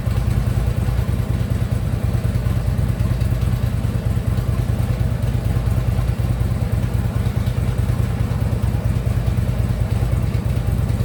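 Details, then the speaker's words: Harley Ultra Limited V-twin idling after new compensator installed, compensator now quiet; loose uneven clatter from lower end, heard even at a distance, checked with stethoscope, not on one side, source unknown; lower end knock. "Something knocking a little bit, but it's not on this side. Let's see if I can't figure it out. Yeah, I can even hear it from here."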